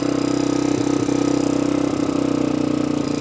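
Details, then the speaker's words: 1986 Honda 350X single-cylinder in neutral, dislikes choke, possible firing issue: fast light tick on each beat with slightly uneven rhythm; ticky, owner suspects an old spark plug, source unconfirmed. "Maybe an old spark plug. He's a little ticky."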